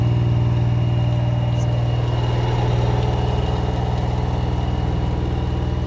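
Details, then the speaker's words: LG 10 kg front-load washing machine drive motor: a steady low hum with a fast rhythmic rumble and gritty rattle like pebbles tumbling; vibration is normal, and the noise comes from the motor. "Motor की आवाज़ है। जैसे जैसे तो कंकड़ जैसे घूम रहे हो साथ में।"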